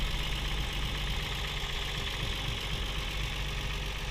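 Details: Toyota 1G-FE (Altezza / Lexus IS200/IS300), warm idle with the accessory belts removed: a steady light knock persists from the front timing area, so the belts are ruled out. VVT clutch suspected, unconfirmed.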